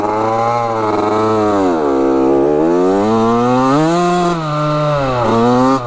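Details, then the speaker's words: 1985 Yamaha YZ80 two-stroke dirt bike after rebuild, epoxied water pump holding, worn front sprocket: crisp revs up and down with clean crackle, no misfire or hesitation while riding; runs strong. "players are bald too sounds good doesn't it she's a little ripper"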